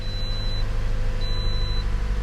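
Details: 2008 Pontiac Vibe after replacing the evaporative canister; smooth, even low idle with a chime beeping twice, no stumble, no check engine light; normal idle.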